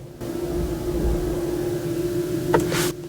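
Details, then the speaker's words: Jeep 4xe put into gear, recorded near its two external speakers: a steady, hollow, mid-pitched hum; this is the normal pedestrian warning sound that lets people hear the vehicle moving. "kind of like a drowned out echo hollow noise a little bit and again i'll bring the microphone to the back in the front so you can hear it the reason is this is is so pedestrians can actually hear the vehicle while it's in motion"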